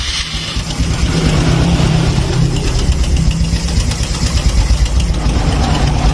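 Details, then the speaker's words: Honda Supra X 125 fuel-injected motorcycle on first start after tune-up and reassembly, fresh oil: loose rattle chattering over idle; cam chain slack because the tensioner has not yet filled with oil. "Kalau pertama nyala tadi dia bunyi trok trok trok trok trok trok trok trok trok trok. Itu tandanya rantai keteng masih kendor."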